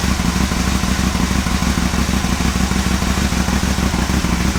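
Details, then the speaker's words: Aprilia Caponord V-twin on a cold start with an ECU tuning app connected. It settles into a steady, even, lumpy idle with a regular beat and no knocks or misses. It sounds good and the idle is normal, although an idle fault had been reported earlier. "Right, sounds good."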